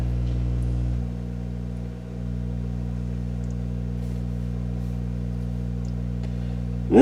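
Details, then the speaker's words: Rogers Majestic R22020A / Philips F2C20A radio rebuild: constant low mains hum with stacked buzzy overtones, unchanged throughout. It points to a ground loop through the connected record player. Ground loop hum. "And I found the problem I was having with that very bad noise."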